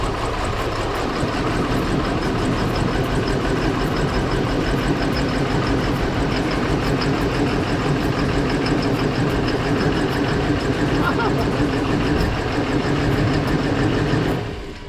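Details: 2002 Cadillac Escalade, non-running after sitting about 5 years in a barn, last inspected 2015; first start after replacing a blown 20 A ECM fuse: deep, lumpy, irregular idle that never settles before shutting off.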